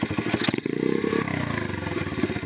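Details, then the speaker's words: Single-cylinder bike, carburettor tuning with air screw fully closed (factory setting 1.5 turns out): revs briefly, then off throttle the beat slows too far and stumbles; mixture too rich. "Alors du coup elle a juste un peu de mal quand on relâche les gaz, elle tombe trop loin."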